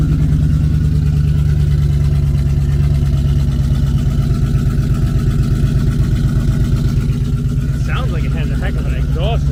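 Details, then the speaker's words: Auction car with stock headers, unclear whether catalytic converters are fitted, blew some smoke on start but runs fine: loud, deep, raspy pulsing at idle, much louder than stock; owner suspects an exhaust leak. "i don't know it's loud i can't tell if it has cats or not stock headers i can tell that sounds a little better now it still sounds like it has an exhaust leak"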